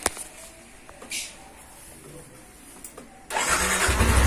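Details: Yamaha NMAX scooter that cranked but would not start, after the fuel pump socket was reconnected: a few quiet clicks and fuel pump hum, then the engine catches and settles into a steady idle. Normal start.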